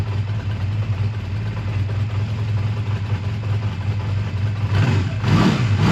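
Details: A 2001 Honda Rebel idles smoothly and evenly, then picks up cleanly in a short rev, after a choked cold start at 22° that stalled once and a suspected minor fueling problem with a gas drip; tired but runs good; normal idle and revving.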